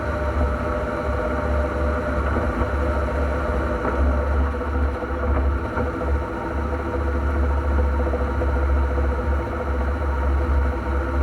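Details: NP231J transfer case: a constant low drone and whir holds steady throughout. The transfer case is noisy, and the cause is unknown until teardown.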